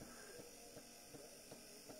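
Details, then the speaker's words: 1959 Clarion transistor battery portable 3-inch reel tape recorder being played: soft regular knock about 2.5 per second over mains hum as the motor bumps once per turn, suspected rough spot on wheel from long storage; motor knocking. "so it needs a service they can hear that it's trying to do something but it does all turn the knocking is the motor going over a"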